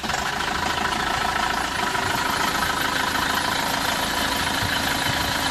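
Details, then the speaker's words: Isuzu Traviz engine at idle with a steady dry scraping rasp; noise traced to a loose, worn aircon belt and a loose alternator fan belt; clutch fan fine, no overheating. "Narinig niyo mga boss maingay nga itong makina pero wala naman itong malaking sira dahil ang pinanggagalingan lang naman ng ingay nito yung belt lang dito sa aircon pero pati itong pan belt sa alternator niya mga boss kung makikita niyo chsine-checkup ko na rin yan."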